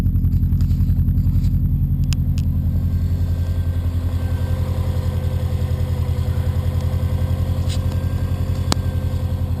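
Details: Subaru boxer engine built with Wiseco forged pistons, .0025"-.003" piston-to-wall clearance, cold around 2°F after -15°F night: steady hollow knocking clatter over idle rumble, louder in colder temps, not fully gone when warm. Piston slap.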